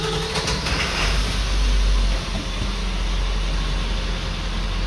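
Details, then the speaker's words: 1999 Ford 7.3L Powerstroke diesel pickup, warmed up, just after start: heavy rumble with an uneven, stumbling beat from a lazy ICP sensor (P1280), worse when cold; tone changes slightly once the service engine soon light goes out. "it doesn't matter whether it's warm or cold it does the same thing it's just worse when it's cold as far as uh how rough it runs"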